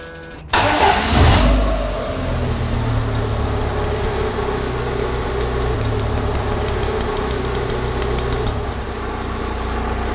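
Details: Lotus Elise S1 laid up 10 years, head refitted with new uprated head gasket, new plugs, cap, rotor and leads, fresh oil: first start, brief crank, catches cleanly and settles smooth and even with light revs, no knocks or misses.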